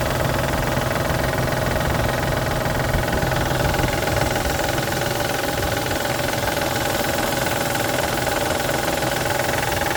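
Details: 1999 Isuzu Vehicross, 127,000 miles, a month after timing belt tensioner and seal replacement: a steady knock about three to four per second at idle, traced to a collapsed timing belt tensioner and water pump; the engine runs fine after the fix.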